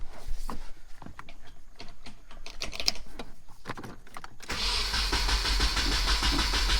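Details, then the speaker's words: 1994 Nissan 240SX convertible, first start attempt after fresh oil, throttle cable unhooked: starter cranks in uneven bursts, engine coughs but doesn't catch, then a rough roar; owner suspects the firing order is wrong, not confirmed. "So it sounded kind of like to me that the firing order was off, so I just went back and looked up more things"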